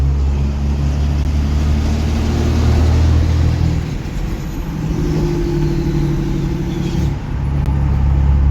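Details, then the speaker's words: Diesel hotshot truck on the road after 80 minutes of driving following a built valvetrain, head studs and valve adjustment: a strong, even drone that rises and settles with throttle, no ticking or knocking; running good. "And I'd say she's running good. She's running good. We got the valve adjustment correct."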